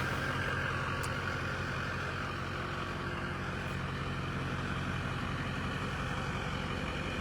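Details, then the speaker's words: Airport limo after front clip paint, running outside after earlier start-then-stall issue: deep, steady idle with even low rumble, no misses or knocks; normal idle, running like a top. "Running like a top."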